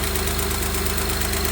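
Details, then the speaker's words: Honda 3.5L V6, 275,000 miles, first start after timing belt and water pump replacement, still cold: even smooth idle with the previous ticking gone; normal idle. "Well, that worked. Oh, it sounds much better. No ticking."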